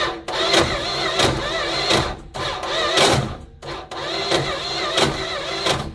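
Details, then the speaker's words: Neglected 1972 Plymouth Fury I: slow, labouring crank in repeated bursts with a harsh metallic grind on each push and no firing, gas poured in; owner suspects a bad spot on the torque converter ring gear or flex plate. "Bad spot on the ring gear on the torque converter. Yikes. Well, I'm going to pour some gas down it and see what happens. Yeah, that sounds like the flex plate to me."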